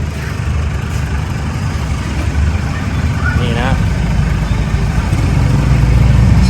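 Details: Isuzu D-Max 2007/2008 diesel after intercooler replacement and leak repair for black smoke and no acceleration past about 2,000 rpm, idling in neutral after start: low, even clatter, no misfire or hunting; normal idle, smoke reduced.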